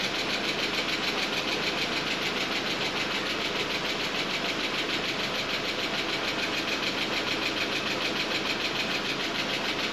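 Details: Audi A4 driven over a mile with no oil after a quarter-size oil pan hole, pan patched, refilled, first start: steady, fairly even idle, quick regular beat, no knock or tap; engine sounds healthy.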